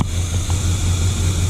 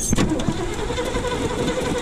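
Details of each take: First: 1979 Chevy C10 factory 454 big block V8, first start after sitting five years, fuel pump suspected bad: deep, even idle with a smooth steady rumble, no knocks or misses, has oil pressure. Normal idle. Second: 1979 Chevy C10 factory 454 big-block V8, first start after sitting five years, fed from an auxiliary tank: lumpy, uneven idle with wandering beat; rough idle, oil pressure good, cause not found.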